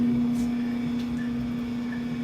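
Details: Whirlpool Cabrio dryer reassembled after a diagnostic-mode check that showed no board or sensor faults: steady, even motor hum with no knock, scrape or squeal, and heat is present; running normally.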